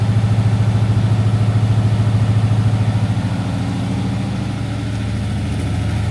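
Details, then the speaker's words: Cold Daimler Majestic Major limousine with Hemi V8 idling while warming up: deep, even burble with steady pulses, no knocks or misses, very smooth; normal cold idle. "it sounds really well though very smooth got to warm up a little"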